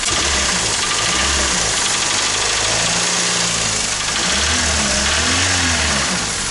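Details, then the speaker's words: Toyota Rush 3SZ-VE petrol engine, about 72,000 km claimed, revved up and down with rough, rapid knocking under a loud hissy rush: piston slap, pistons knocking on direction change. "ко мне подъехал раз с проблемой именно вот со стучащим поршнем сейчас послушаем после разницы да что пусть работает Вот получается 3D двигатель стук поршней на перекладке"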